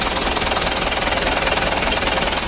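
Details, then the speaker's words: Rebuilt Mitsubishi Canter HD 125 PS diesel after reassembly: loud, clattery idle with an uneven pulsing beat and heavy engine shaking; injection pump suspected, to be taken apart next. "ini Rencananya mau kita lanjutkan pembongkaran pumpnya supaya langsamnya dan suaranya ya tidak kasar dan guncangan mesin tidak begitu parah ya"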